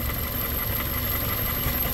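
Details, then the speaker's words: 2001 Toyota Corolla 1.8 with a P0301 cylinder 1 misfire, hot engine. Spraying brake cleaner on the intake changes the idle; the owner suspects a damaged intake gasket. Low, lumpy idle with an uneven pulse: a vacuum leak. "qué estar pasando será que el empaque del inter está dañado"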